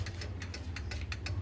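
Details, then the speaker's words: Yamaha Vixion with a new battery that won't start: pressing the starter gives only rapid clicking from the starter relay under the seat, no cranking; the cause is worn starter motor carbon brushes, not the relay. "jika bunyi cetek-cetek ini bukan berarti relaynya yang rusak tetapi di sini adalah kerusakan pada dinamo starter"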